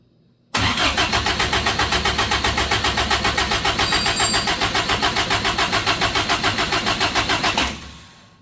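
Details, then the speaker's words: Toyota-engined Samurai rock crawler on propane: starter churns about four pulses a second for seven seconds, never fires; another port thought to be water was pulling vacuum, a further vacuum leak. "I have vacuum problems everywhere I thought that was only going into water but that is pulling vacuum and that's a another plug down here"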